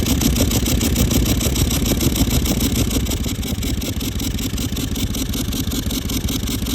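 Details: Toyota Land Cruiser 200 series 1VD diesel (oil changed every 5000 km, full synthetic), turbo failed while driving with a siren noise and exhaust smoke: steady, rough even churn, no clear knock; siren whine not clearly audible here.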